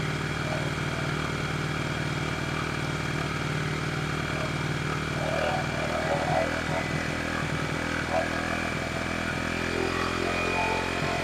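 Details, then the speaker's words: 1974 Honda XR75 with a new coil, idle jet changed from 38 to 35, idle screw almost fully out: steady, fast, even idle that never settles lower; stuck high despite adjustment, and a new carburetor is on order. High idle. "Because usually when it's idling high like that and you can't adjust it,"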